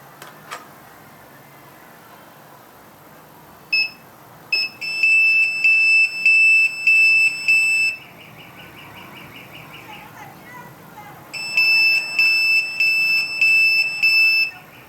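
Shrill high beeps pulse in quick bursts, pause, then resume about a hundred times a minute; the pager is alerting normally.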